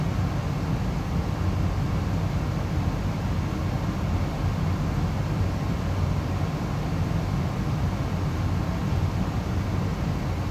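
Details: Amana 95 IIQ two-stage variable-speed gas furnace after burner shutdown: steady even low air rumble, no flame roar, clicks or rattles, as the blower runs on cooling the heat exchanger and slowly turns off; normal run-on.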